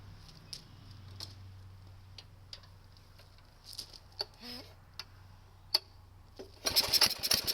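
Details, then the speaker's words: Kohler single-cylinder tractor engine after recoil starter alignment, cold start on last year's gas with primed carb and choke: clicks and a pull, then catches into firm, even beat with no misses; runs healthy, choke left halfway. "Heat. Heat. That sounds good. I'm going to leave the choke on halfway. That's another good sign."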